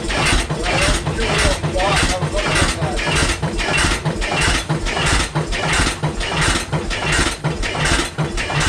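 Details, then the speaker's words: 1912 12 HP Goold Shapley Muir hit-miss gas engine, first run in about six years: regular thumping with hardly any coasting, firing too often. Definitely running rich; owner suspects fuel was opened up, or it's just cold. "I wonder if Doug would opened up the cuz it's definitely running rich. >> Yeah. I wonder if he's opened this up and gave it a little bit more fuel cuz remember before it used to hit once and then coast now it's hitting more and more."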